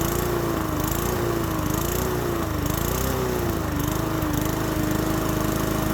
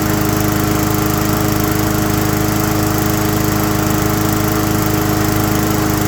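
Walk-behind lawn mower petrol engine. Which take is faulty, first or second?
first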